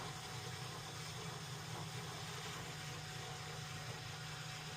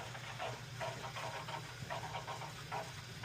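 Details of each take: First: New Weil-McLain WM97+ condensing gas boiler, after fixing high pressure and a leaking relief valve from a badly installed expansion tank, in post purge: even, steady blower hum, no surging or rattles, some air still in the system; normal operation. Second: Weil-McLain WM97+ condensing gas boiler, fired up after servicing for high pressure and a leaking relief valve: soft hiss with small bubbling trickles about twice a second in the piping; air still trapped despite purging.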